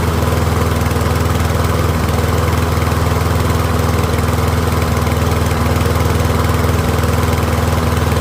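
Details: Troy-Bilt rear-wheel-drive mower with Briggs & Stratton engine, after ultrasonic carb cleaning, warmed up and left running on partial fuel, pretty quiet: even, steady single-cylinder putter at constant speed, no misses or surging; running cleanly.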